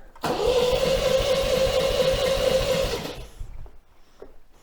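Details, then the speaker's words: 1980 MGB, compression test after oil, plug and tappet service: uneven, lopsided cranking about three beats per second; cylinders two and three low, head gasket or cracked head between them suspected. "okay so number two and three are down so we have a problem with the head"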